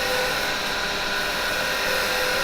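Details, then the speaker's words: Woodturning on the lathe: with the tool straightened more to stop vibration, a smooth, steady cutting hiss without chatter leaves no tear-out on the grain, a clean cut. "Now we have no tear out whatsoever on that grain. We get rid of it all."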